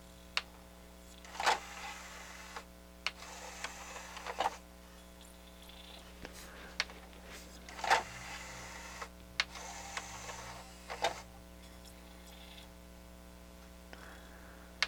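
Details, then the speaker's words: Harman Kardon HK 720 CD player after tray loading repair: short motor whirs and clicks as the tray loads firmly despite light drag applied, not bogging down; belt drive now has much more torque, though it can still be stalled. "the belt seems to have a lot of torque now i put a little drag on the tray it still loads"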